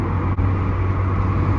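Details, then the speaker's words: Alfa GTV running very hot, logged with laptop: deep steady drone with a sharp momentary dropout, misfiring badly before dying. "got it got it it's misfiring really bad it's really busy it's really hot"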